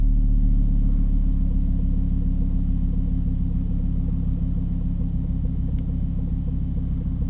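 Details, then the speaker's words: Volvo V50 T5 cold start after sitting 15 hours. A deep droning hum at idle with a low pulse about three times per second and no manifold squeal. It is a new cold-start noise that goes away once warm after about a minute of driving; the source is unknown. "and see it's most likely unrelated but that did sound is gonna be here once it drops down on idle"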